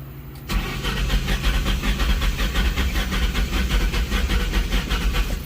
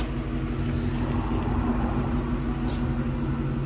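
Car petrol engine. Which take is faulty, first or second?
first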